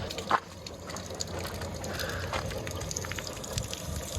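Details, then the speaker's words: Sailboat in the boatyard after replacing a pitted prop shaft, coupling and carrier bearing fitted, water running through the cutless bearing, diesel at about 1,000 rpm with no load: steady water gush over faint rumble, no knock or vibration; normal running. "Okay there. Don't see any vibration. Seems like it's doing pretty good. I think we got it."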